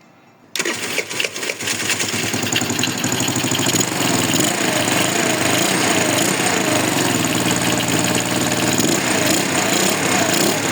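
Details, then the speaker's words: 80cc two-stroke scooter fitted with an Alfa carburetor, unadjusted, started on raised choke; steady even buzzing run with no misfires; normal running. "Podsoschasini ko'tarib birdaniga olib hozir zavod qilib ko'rsataman. Ishlashi chotki."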